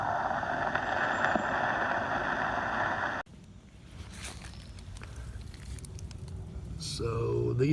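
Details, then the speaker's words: Two-year-old vinyl pool liner with holes eaten by ants, heard through a hydrophone and amplified speaker: a steady, even hiss for about three seconds, then dropping away. Water escaping through one of the leak holes. "leaks I found this one right there right there's a big one there's another one so those are the big three right there"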